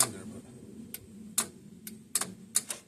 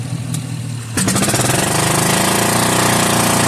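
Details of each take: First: Old single-cylinder Onan 3.0AJ-1R RV generator, generator head doubling as starter: sharp single clicks, about six in three seconds, no cranking; solenoid pulls in but dirty starter contacts stop it. Owner also doubts battery is enough. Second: Old single-cylinder Onan 3.0AJ-1R RV generator on a long-stored battery jumped from a truck, fuel line primed: catches after a second, then loud, steady, even unmuffled firing with no misses; normal healthy running.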